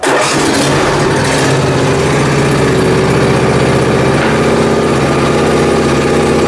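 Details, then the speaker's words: Briggs & Stratton Intek M44 twin after a total carburetor teardown and clean: smooth, even running with steady firing and no misses or knocks. Sounds much better than before. "sounds way better anyhow well that's good so"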